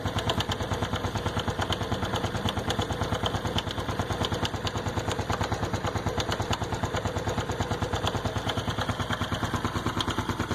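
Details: Honda Biz 110i at 6,000 km, cold idle, after a shop oil change loosened the wrong bolt near the cam chain tensioner and reassembled it wrongly: sharp, regular top-end ticking about three times a second that fades when warm. Owner suspects 20W50 oil instead of 10W30; not confirmed.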